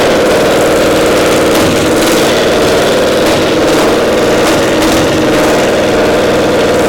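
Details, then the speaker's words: Twin-cylinder pony (starting) motor of a Caterpillar Diesel 70 under restoration: buzzy idle with irregular stumbles every second or so as one cylinder cuts in and out despite good blue spark; intermittent misfire traced to a faulty magneto cap. "It's hitting intermittently like it's a spark. It's got a nice array of blue spark there, but it's not hitting every time."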